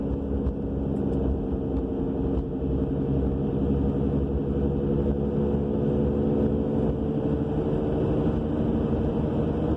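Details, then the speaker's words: 2000 Subaru Legacy AWD at about 50 mph: a steady droning roar with a low hum from the rear. It began soon after new brakes, calipers and rotors, and the wheel bearing is new. No shaking, scraping when braking, and the cause is unclear. "We have this mystery roaring noise coming from the back end. Changed the brakes, calipers, rotors, and not long after all that, this noise appeared."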